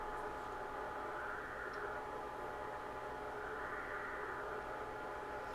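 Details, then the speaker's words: Yaesu FT-101 radio on AM fed an S9 800 Hz signal-generator tone: only faint, even static with no tone. The receiver is weak, passing almost no signal; a hot chassis is suspected. "Let's uh let's try putting a signal back into this thing if you can hear that we do have some static there it's very low"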